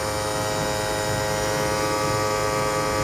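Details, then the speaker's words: 2008 Toyota Prius AC compressor at 6000+ rpm calling for full cooling, low refrigerant charge (hot discharge line): steady high-pitched electric whine over a buzzy hum; the compressor is overspeeding and burning itself up. "so low on refrigerant as we can see right there indicator of low on refrigerant calling for full cooling and the compressors whining the piss out of itself burning itself up doing a nice job of shortening its life"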